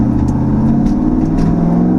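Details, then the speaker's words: L83 Gen V V8 swap, after fuel-injection timing/tuning changes, driving test: loud, even exhaust roar climbing in pitch on throttle, no misses or stumbles; runs smooth and pulls cleanly, louder than before. "It's real smooth. And when you get on throttle, you can just hear the exhaust get much louder. You just hear the power it's making."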